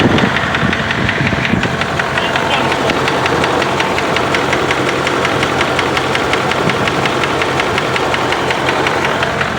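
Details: 2005 Dodge Ram 2500 4.7 V8: a sharp, fast, even tick over the running note. Owner suspects a bad lifter, rods, piston wrist pins or timing chain tensioners, not exhaust manifold gaskets; cause not confirmed.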